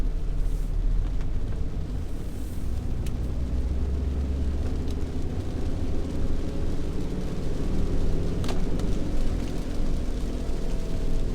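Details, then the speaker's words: Driving test of a Yage, before repair: deep steady rumble under road noise that grows louder as speed rises, bearing noise rather than tyre noise (tyre noise is loudest when decelerating); worn wheel bearing growl, later replaced. "其实店长之前也讲过，就是轴承的声音跟轮胎的声音会不一样。轴承的声音就是速度越快，声音会越大声轮胎它反而是快停下来的那个，就是在减速的时候声音会比较大声。"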